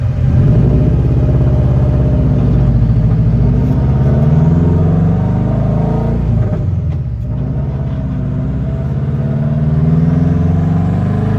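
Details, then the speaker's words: Subaru WRX-engine-swapped Beetle (about 300hp, turbo), still relatively cold, doing one pull: it pulls hard, then the note sags and stumbles unevenly, reaching only 13 PSI of boost. That is better than the previous drive but worse than when the first coils went on; the cause is misfire from fuel starvation. "So, we were only able to hit 13 PSI there. So, it's better than last time we drove it."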